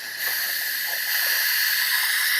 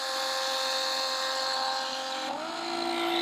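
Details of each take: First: RV grey water tank being emptied into a toilet with a portable Flojet waste pump: sharp steady high hiss rising as the fitting is cracked, air rushing in to break the vacuum the pump created in the waste line. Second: Flojet portable RV waste pump moving grey and black tank contents through a garden hose to a toilet: steady high whine stepping down in pitch as load changes, then clean shutoff; normal pump operation.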